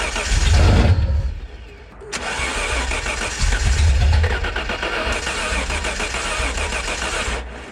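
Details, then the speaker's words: 1991 Ford Scorpio 2.9 V6 Cologne, sat long unused: starter cranks about three beats a second with a brief cough only on gasoline poured in; no fuel getting into engine. "okay so we got at least something uh but yeah that tells me that uh we don't have any fuel going into the engine"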